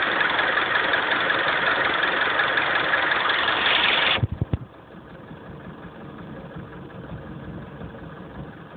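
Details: Honda CR-V engine at steady idle with a regular knock around 170 a minute until the engine shuts off; knocking at idle, cause not pinned down.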